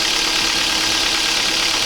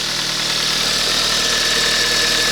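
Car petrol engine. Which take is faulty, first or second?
first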